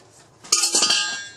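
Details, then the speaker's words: Teddy Varimixer W5A mixer on the bench, which had a locking issue; moving the switch gives a short burst of light metallic clinking, a small loose ball rattling inside the switch housing, and the switch doesn't work. "good that there is something rattling inside this switch there there so it's losing the marbles inside or whatever is inside it's not working"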